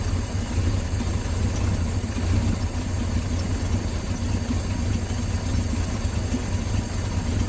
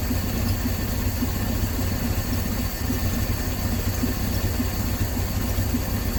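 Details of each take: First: 1968 Dodge C600 shop truck, back running after nearly a year. Deep, slow, even rumble at a normal low idle of about 420 rpm, read on a tachometer while the carburetor mixture screws are set; no misses or knocks. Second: 1968 Dodge C600 shop truck, unrun nearly a year, idling with a vacuum line left unattached on the back of the carburetor while setting rpm and timing: low, uneven, lumpy idle that never settles; rough running from the open vacuum line.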